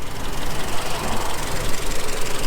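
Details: Renault Twingo 1.2 petrol, 115,000 miles, no MOT, under the bonnet at idle. Possible past rocker cover gasket oil leak. Steady low chug with light, even valve chatter and no irregular knocks; normal healthy idle.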